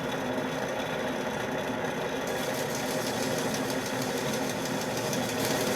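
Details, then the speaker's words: 1940 Globe A4020 Model 75 meat slicer, blade running while rust is polished off with crocus cloth: steady motor hum with a faint light tick about four times a second; a nick or leftover debris on the knife. "You can hear that little tick. That would indicate to me that there's like a little nick of something on the blade. And I did feel something. It could be just something we missed when we were cleaning."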